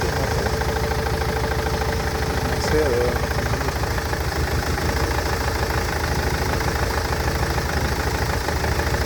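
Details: Nissan Interstar / Renault Master van engine idling with an uneven, lumpy beat of about three pulses a second. The misfire persists after replacing the injectors, fuel pipes and injector wiring loom.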